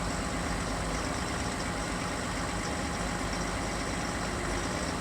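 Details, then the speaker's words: 2020 Chevrolet Silverado 3.0 Duramax diesel, remote cold start at 16–20°F: the fuel pump is audible, then steady, even diesel clatter with slight idle wandering before high idle kicks in; no odd knocks or misses, normal cold idle. "Little tiny bit of stumbling there. I mean, it's not really stumbling, there's just a little bit of wandering. You can hear a little bit more of the diesel noise, clatter."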